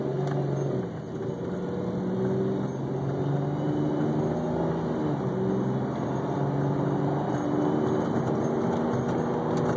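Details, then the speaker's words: BMW E46 automatic driven cold: engine note rises unevenly under smooth light throttle, jerky and hesitating, evening out once warm; owner first suspected a vacuum leak, but the cause was automatic transmission fluid about 3 quarts low. "I'm not sure how much of the hesitation you can really hear or tell, but there's this jumpiness when it's very cold that doesn't wanna actually accelerate smoothly, which evens out when it gets warm."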